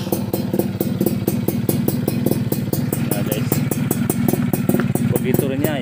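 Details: Yamaha F1ZR Millenium two-stroke during engine teardown/restoration, where chicken feathers had been found inside the original intake manifold rubber: crisp, even idle with a steady pulsing beat and no knocks or rattles; sounds healthy.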